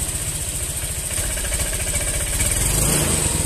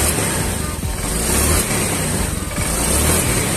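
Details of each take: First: Honda Vario scooter being throttled: idle thuds turn uneven and stumble with delay on initial throttle before revs pick up; weak fuel pump pressure starving the injector suspected. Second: Honda Vario fuel-injected scooter after fuel pump replacement and ECU reset: engine picks up cleanly on each throttle blip, revs rise smoothly without stumbling; earlier hesitation and jerking on initial throttle was from weak fuel pump pressure.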